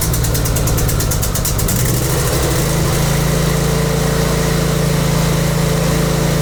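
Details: Briggs and Stratton V-twin with Nikki carburetor after cleaning carb and emulsion tubes to fix surging: settles into steady, even idle with firm low drone, no hunting or surging.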